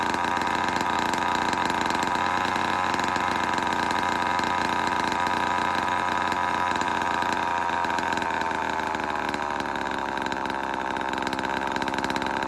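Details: Vintage Homelite Super XL-12 two-stroke chainsaw, run after sitting a while: a steady, even buzzing note that eases slightly in pitch near the end; it is running smoothly.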